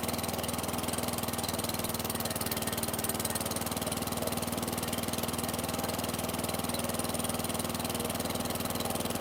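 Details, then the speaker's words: 2008 WeedEater 22-inch mower, Briggs & Stratton 500 series 158cc (model 10T50), flooded under six feet of hurricane water, now runs with an even, steady beat of about four per second and no stumbling; still smoking from oil that poured from the muffler. "Okay, fantastic. still smoking, but that's fine. If you saw all the oil that was pouring out of there, this thing might smoke for a minute or two."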